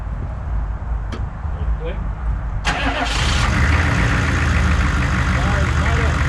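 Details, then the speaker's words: 1994 2500 diesel truck (make not stated) after new fuel filter and hoses and cleaned-up faulty wiring: quick, brisk crank and it catches first try, settling to an even rumble. It previously cranked slowly and sputtered. Normal start. "Um cleaning up that wire. You see how fast it it was spinning to start. Before it wouldn't do that."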